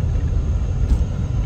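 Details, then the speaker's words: Used car on test drive at road speed: constant deep rumbling drone, no rhythm or knock, the loud roar of worn tires needing replacement all around; shifting fine; tire road noise. "so it shifted good but like i said that tire noise is crazy"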